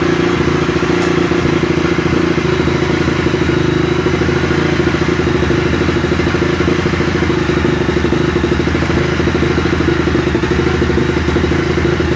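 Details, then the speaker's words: 2004 Honda CRF250R single-cylinder after valve adjustment (intake .004-.006 in, exhaust .010-.012 in; leakdown 6%): starts first kick instead of almost no start and runs at a fast, even beat with crisp clatter, no misfires. "So you went from a almost a no start to a one kick start. I mean, that's the difference that a valve adjustment can make."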